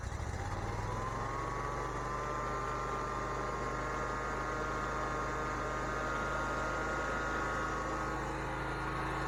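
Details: Bobcat ZT219 zero-turn mower after replacing the broken throttle cable and re-bending the choke rod: engine catches, climbs in speed over a second or so, then settles into a steady, even run with no misses or knocks.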